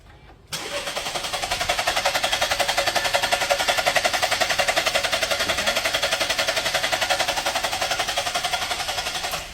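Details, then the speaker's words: 2019 Holden/Chevrolet Equinox, 1.5 L turbo direct-injection: steady starter cranking at about three pulses a second for nine seconds, never firing; code P0017 crankshaft/exhaust camshaft position not plausible; crank no start. "car came in a tow truck no stop it cranks it don't start all right I'll try to crank it right"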